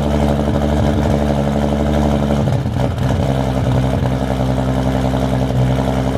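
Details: Turbo Toyota Supra with a 4-inch stainless downpipe and custom exhaust and remade 5-inch intercooler piping, running but not yet tuned: deep, throaty exhaust note, steady and even through rev changes, no knocks; healthy.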